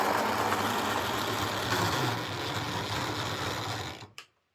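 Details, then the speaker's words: Old Jouef (or Playcraft) HO scale Class 21/29 model locomotive running on a layout: a loud, harsh whirring buzz pulsing unevenly about four times a second, then spinning down. Worn motor running rough; no replacement motor available. "So, well, as you could hear there, this sounds a bit loud and it's running very rough."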